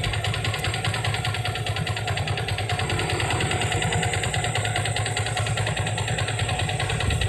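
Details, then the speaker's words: Yamaha Vixion motorcycle with radiator coolant mixed into engine oil from failed cooling circulation (water pump or cover gasket): harsh gravelly clatter at a steady beat over idle, rougher than normal; worn engine bearings damaged by coolant. "cukup kasar sampai nggak cukup kasar seperti itulah kawan-kawan suaranya yang disebabkan oleh sirkulasi air yang tidak tidak sempurna"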